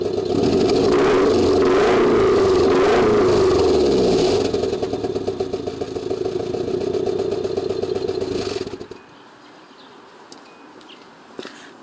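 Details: Stock Nissan KA engine with Apexi N1 dual-tip exhaust: revs then settles, with a fast regular knock about four per second over the exhaust note; suspected rod knock.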